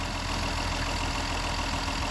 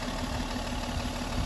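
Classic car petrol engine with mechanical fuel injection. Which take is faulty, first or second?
second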